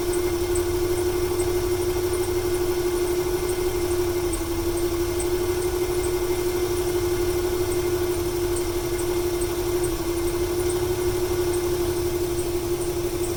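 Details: 1995 Ford 300 inline-six with over 400k miles: steady idle with a faint irregular stumble about three times a second under a whining note. It stutters more on throttle and smoke comes from the PCV. Owner wonders whether fuel or timing is to blame.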